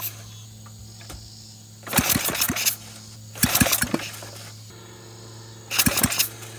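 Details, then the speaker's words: Flathead Briggs engine on a minibike, recoil pull-start with throttle and choke: three short pulls each bring a few sharp pops that die away; catches briefly but won't keep running, intermittent firing. "thank you sounds like a firing right there as far as it goes"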